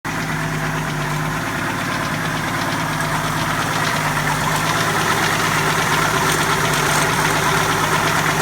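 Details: 1981 Jeep CJ7 4.2L 258ci inline six, supposedly a newer rebuilt engine, idling with a loose, uneven knock about three per second; owner suspects beginning rod knock from a spun rod bearing, not confirmed; drained oil showed nothing concerning.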